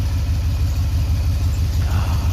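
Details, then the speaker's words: 22RE Toyota pickup cold-started with a leaking radiator: low, heavy idle with an uneven, lumpy beat that doesn't smooth out, worse than before. Rough running; a faulty engine computer later appeared to be the issue. "that's ah that's worse than what it was when i started before i started it"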